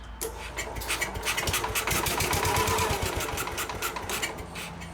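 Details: Case 222 lawn and garden tractor that sat for years, cranked at half throttle with starting fluid: steady starter cranking at about four compression pulses a second with no firing; cranks but won't start.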